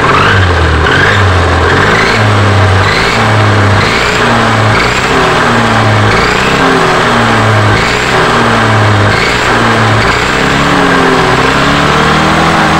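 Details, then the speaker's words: Yamaha NMAX scooter, rear whine rising and falling with throttle blips; mechanic suspects gearbox wear, later confirmed worn gearbox gears causing whine when riding and revving; possible fix is replacing the gearbox gear set. "Menurut saya ini penyebabnya di bagian gearbox-nya ya entah mengalami aus atau entah mengalami e apa namanya problem yang lain ya"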